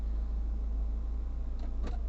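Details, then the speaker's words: 1980 Triumph TR7 after replacing original diaphragm fuel pump (had idle issues and lost power above 4000 rpm): steady idle about 750 rpm, no misses, a couple of light clicks; normal idle. "She's ticking over nicely now at about 750 RPM."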